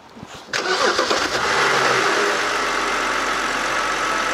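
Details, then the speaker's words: 2008 BMW E60 528i, 3.0L naturally aspirated gasoline, 170,478 km, stalling while driving, check engine light: starts and settles to steady idle with airy hiss; excessive crankcase vacuum. "여기를 보면 엔진 내부에 진공이 좀 많은 걸로 확인이 돼요 소리 들리시죠 어느 정도의 진공은 형성이 되는데 좀 진공이 좀 많은 편이에요"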